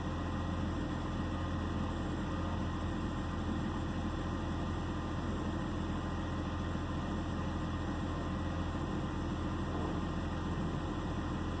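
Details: 2009 BMW 328i xDrive coupe at idle: steady low drone with an irregular stumble every so often; misfire making the engine run rough.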